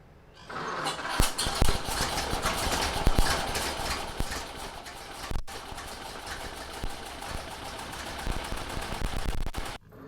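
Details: 1930 Ford Model A four-cylinder after sitting seven years, now re-timed: ticking over with a soft, slightly uneven beat, no knock; idles acceptably while spark advance and throttle are hand-adjusted.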